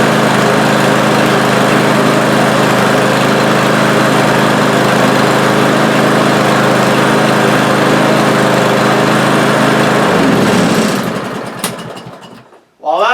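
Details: Cub Cadet lawn mower after cleaning the carburetor, spraying out the blocked passages and the main-jet emulsion tube: steady, even engine run with a smooth, unchanging note and no misses or surging, sounding healthy until shut off.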